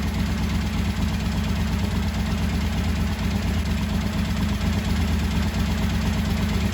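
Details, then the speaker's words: 1985 Honda VT1100 Shadow V-twin, revived after 25 years, still loud with the airbox off for testing, restarted to balance the carbs. Lumpy, loping idle around two pulses a second. Carburetors found pretty far out of balance at idle before adjustment. "You can see how important balancing is. V-twin, twin cylinder. It's a little less obvious, I think, on a inline 4 or something, because they can be off, like you saw how significant that was."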